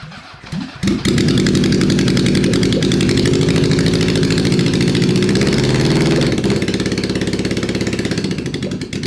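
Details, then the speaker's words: SOHC Honda CB750 four-cylinder swapped into a 1980s Suzuki Quad Sport 230, first start after sitting for years, on choke: catches, then runs lumpy at about three beats a second with tailpipe fire and backfire. One cylinder is misfiring. "some pretty substantial fire coming out of one of the tail pipes but that's okay ready when you are all right here we go i keep getting a backfire of fire and gasoline on my hand"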